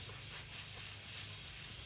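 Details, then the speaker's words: 900whp Toyota Supra only hitting 21-22 psi versus 29 psi target, engine revved while locating leak at bottom wastegate fitting not seating fully, fix is original swivel fittings; sharp steady hiss of escaping air; boost leak. "it it is leaking bad bad so we got to fix that"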